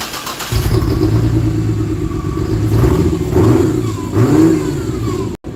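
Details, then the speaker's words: 1949 Chevrolet with a 4200 Vortec 4-valve six, first start with no exhaust fitted: a raw, loud open-pipe idle climbs quickly on throttle blips and drops back cleanly; a strong, healthy, very free-revving engine. "Yeah, I'm really surprised. This engine is definitely going to be an interesting one. It has a very, it's very revvy for sure."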